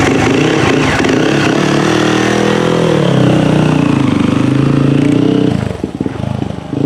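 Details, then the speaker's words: Yamaha YZ450F after top-end rebuild and cam timing setup: single revs up and falls back smoothly, crackling evenly at each throttle blip, then settles; healthy running. "see if that went down at all oh beauty this bike sounds so nice"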